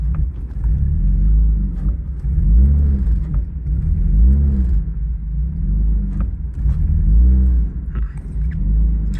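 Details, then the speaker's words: Cold drift-car project engine, revved: revs rise and sag in slow, uneven swells about every two seconds. It runs and idles rough when cold, fine when warm; an issue with the MAF in the intake boot is suspected. "so that sounds like an issue with the math somewhere in the intake boolt I've had similar issues before so yeah it looks like once this car is cold then it has some issues running and idling"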